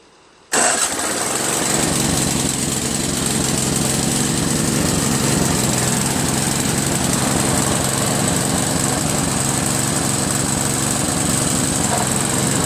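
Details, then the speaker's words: Craftsman 522 snowblower with Tecumseh engine, after tightening the slack auger drive belt with extra turns on the nut: engine settles into a steady, even roar under load, no slipping squeal. Immediate auger engagement, the sound wanted. "There we go. Immediate engagement. Yeah, that's what we're talking about right there. Yep, that's the sound, see? That's the sound you want for immediate engagement of the auger."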